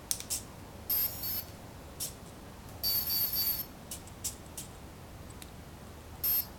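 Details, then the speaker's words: Align T-Rex 500 BEC speed controller reading back settings after power cycle: short high chirps in groups with pauses — brake disabled, mid timing, high cutoff voltage, helicopter soft start, medium throttle response. "break disabled to fit mid timing one for high cutoff voltage to for helicopter one soft start and two for medium speed throttle response"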